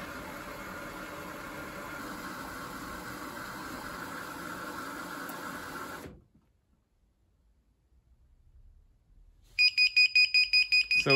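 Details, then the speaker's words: Indesit Moon washing machine with a retrofitted SXY3388 universal board, after a cold fill with a lot of water: the running noise stops, then fast sharp high beeps two to three a second, a motor error; owner suspects wrongly chosen stator winding connections. "So it's filled up and now we're getting a motor error. Motor. Okay."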